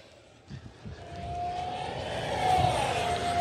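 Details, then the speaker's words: Eachine F-18 50 mm EDF jet, full-speed flyby: a thin, high fan whine swells and climbs smoothly as it rushes past at full power, steady and clean with no stutter; normal full-throttle pass. "We're gonna go around this way and then right through the front yard. Full speed pass. Woo-wee!"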